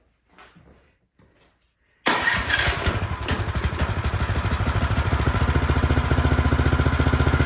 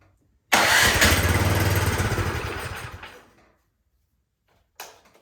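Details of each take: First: Cub Cadet snow blower that would not start, partly reassembled, primed with choke off: quiet, then it catches at once into a steady, even putter with no misses; normal start and run. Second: Cub Cadet snowblower with electric start, full choke and priming, with gas and oil present: about three seconds of cranking that slows and dies without firing. Fuel isn't getting from the carburetor into the engine, so the carburetor will be removed.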